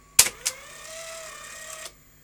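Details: Technicolor/Funai CVC portable video cassette recorder mechanism: two sharp clicks, then a small motor whirs at a steady mid pitch for about 1.5 seconds and stops cleanly. Normal tape unlacing.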